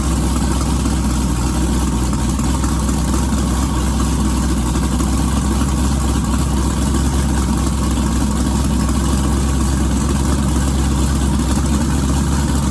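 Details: Twin-turbo 1969 Camaro pro mod V8, first start, loud heavy idle with lumpy, uneven beat throughout; owner thinks it ran out of gas. Rough running.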